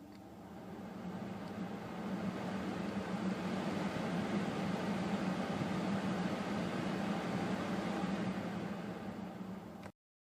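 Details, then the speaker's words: Ford F150/Expedition/Raptor heater blower, previously stuck on high, tested after replacing the blower motor controller. On the lowest setting it gives a soft, steady airflow whoosh and constant low motor hum with no ticking or rubbing; it works normally. "I'll be quiet for a second here so you can listen to it. We're at the lowest setting right now, and you can see it visually right there."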